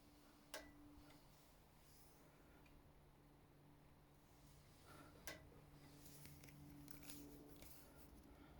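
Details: Brand-new, never-ridden 2021 RockShox Pike Select (150mm Boost) pushed down by hand: a few sharp single clicks at about 20% compression, apparently from the damper-side leg. A replacement fork also clicks; Charger RC damper suspected, unconfirmed.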